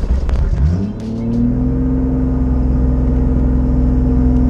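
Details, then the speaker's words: Toyota Supra 2JZ with a newly fitted budget turbo kit, running rich: revs climb quickly after a blip and stay high instead of dropping back, throttle seemingly sticking open; vacuum leak suspected, not confirmed. "Sounds like your throttle is sticking open again right now. Yeah, that's weird. Vacuum leak, maybe?"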